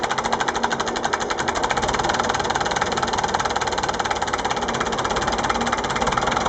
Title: MF-825, bruit moteur